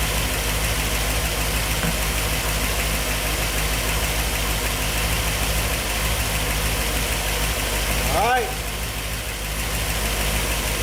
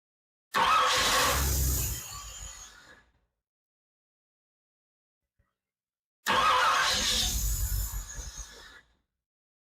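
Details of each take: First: 1964 Ford Thunderbird FE 390, Edelbrock Pro Flow EFI, after fuel mapping changed to fix lean starving, still learning: deep steady V8 burble, even beat, no misses, stumbles or knocks — normal idle. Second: 1964 Ford Thunderbird FE 390 rebuilt with Edelbrock fuel injection, first start in over 40 years: two attempts, each cranks, fires briefly and sags away within about two seconds — hard start from lean fuel mixture.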